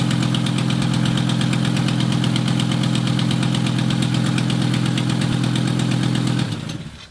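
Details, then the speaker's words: 1996 Volvo 850 2.5L 20V after head gasket replacement; fast steady ticking about four per second over rough idle until shutdown; mostly leaking exhaust manifold, lifters also still filling with oil. "what well at this point we were pretty sure most of the noise was caused by a leaking exhaust manifa and but the lifter still needed to get some more oil"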